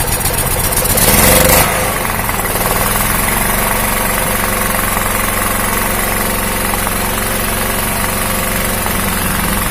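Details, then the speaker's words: 2000 W generator with a Honda GX160 engine, after a hunting idle was fixed by resetting the ignition coil gap to the flywheel magnet: after a loud pull-start it settles into an even, steady run with no hunting or surging. Normal idle. "Oke teman-teman jadi Halo tesnya tidak naik-turun naik-turun lagi sudah normal"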